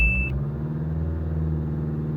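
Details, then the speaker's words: 2009 Hyundai Santa Fe CM diesel after replacing all four engine mounts (diesel cleaner had not cured severe shaking): single beep, then calm, even low rumble with no shake or drone; vibration resolved. "6만 원짜리 디젤 클리너를 넣어도 꼼쩍도 안 하던 09년식 싼타페 CM을 이렇게 차분하게 바꿔 준 엔진 미미의 비용은 공인비 포함 36만 원."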